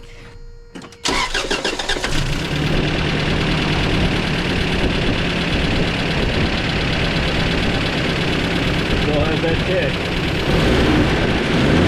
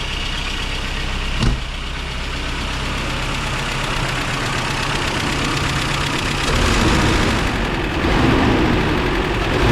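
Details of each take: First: 1994 Toyota Pickup work truck on a chilly day, test drive after new plugs and wires (fuel filter not yet changed): pedal to the floor, engine stumbles with uneven beat and dropped pulses, still missing terribly. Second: 1994 Toyota Pickup work truck idling after new starter and new fuel filter fitted: fairly steady, even beat with no obvious stumble, running way better; normal idle, not yet tested under load.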